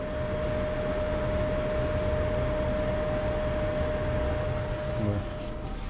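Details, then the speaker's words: 2021 Jayco Jay Flight 224 BH camper gas furnace, de-winterizing check: steady blower hum running first, then a soft puff as the burner lights; a normal fan-first start. "it runs the fan first and then it'll ignite. There it goes."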